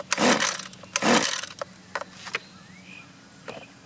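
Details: Husqvarna 128LD two-stroke string trimmer, choke on: two recoil pulls without any pop or catch; won't start because rotten leaking fuel lines kept fuel from the carburetor, fixed with new lines, filter and carb adjustment.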